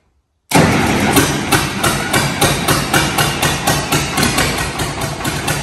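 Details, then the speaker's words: Replacement diesel in a Caterpillar 215 excavator, idle for nearly 30 years, restarted after more glow heat and run off a funnel for fuel: it catches right away into a steady, even idle with a regular knock about four per second, a healthy start. "I'm going to give it a bit more heat we're expecting it to start so listen to this girl"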